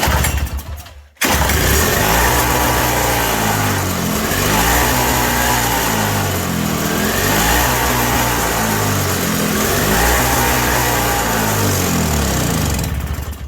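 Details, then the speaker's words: 1987 Toro CCR 2000 snow blower with a new replacement carburetor, primer not squirting: on choke the engine hunts, revs swelling and sagging, sounding very lean and only running on choke; adjusting the jet in or out changes nothing. "Sounds really lean. But it ran off of carb fuel. Let's open up that jet. I've already opened it once. Yeah, it was sounding lean there. Choke is on. Yeah, running real lean. It only runs on choke."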